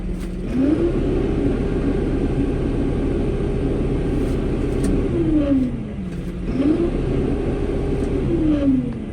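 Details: Diesel tractor in limp mode: revs rise and fall but keep flattening at the same ceiling, about 1500 rpm instead of the normal 2500. Strainer, water separator and tank-bottom samples showed water and slime in the fuel, starving it.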